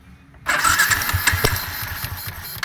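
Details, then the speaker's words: Yamaha Sniper 150 with a hard-start complaint and suspected worn piston rings, freshly timed, tuned up and cleaned, no regulator fitted yet, which kept dying earlier: brief quiet, then it fires on one click and settles into a steady idle; normal start. "Kanina namamatay to eh h mo siya mapaandar ng ganito kanina pero ngayon okay na."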